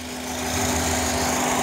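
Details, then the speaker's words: 2005 Honda Accord coupe at idle, warm or cold: a steady high flute-like whistle over a smooth idle hum from the intake manifold/throttle body area, amplified through a resonating hose. New PCV valve did not stop it, and it gets louder from about 30 mph. "esto funciona como una caja de resonancia aquí soy muy fuerte si yo remuevo la manguera el sonido aparentemente se quita"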